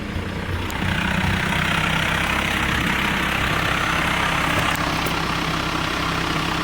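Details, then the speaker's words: TDI diesel idle after installing a twin-disc clutch on a single-mass flywheel: steady, even low drone with only a faint light rattle, much quieter than the previous single-disc clutch. "it's there's still a little bit of noise which I did expect because this is a single mass flywheel it's just a twin disc clutch but now the sound is just so much quieter"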